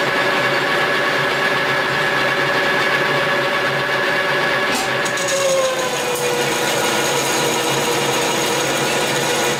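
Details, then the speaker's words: Lathe facing cut with a hand-ground brazed tool bit at a 70 depth setting: a steady cutting hiss, with the motor tone sagging midway as the heavy cut pulls the machine near stall. "Now, you can hear that it's it's almost stalling it out just like I did with the 50,000 with the insert."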